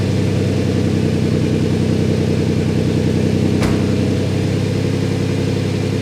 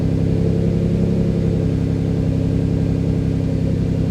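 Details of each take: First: Twin-turbo Ford Capri after new gaskets resealed the chamber and the throttle stop was reset; catches and settles into an even, steady idle with no hunting or surging. Vacuum leak fixed. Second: Twin-turbo Ford Capri fast idling, running quite rich at 19 degrees timing; steady, slightly high idle with an even low throb and no misses. ECU pulling timing to lower idle because the throttle set screw is too high.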